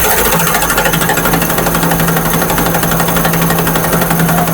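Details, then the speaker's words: Honda CD70 running in first gear with light throttle: harsh, rapid, rough clatter from a first-gear cog that seems broken. Third gear also rubs, while second and fourth are quiet. Engine to be opened and the gears replaced. "पहला gear इसका कड़-खड़ कर रहा है। इसकी गरारी जो है ना जैसे टूट गई है"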